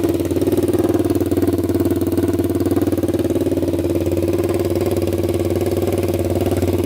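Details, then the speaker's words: 1999 Honda 400EX quad after rebuild (new piston, valve seals, cleaned valves) that previously smoked: even steady single-cylinder idle, no stumbles or misses, zero exhaust smoke; smoking believed fixed, normal idle. "all right guys absolutely zero smoke coming out of that pipe so i'm pretty sure we fixed it so that feels pretty good"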